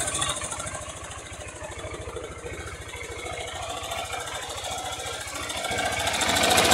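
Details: Single-cylinder "660" motorcycle idling then revved: hollow rhythmic knock on each firing, rising with revs, likened to a rattlesnake; rocker arms checked under opened top cover, noise traced to the cylinder, piston skirt slap.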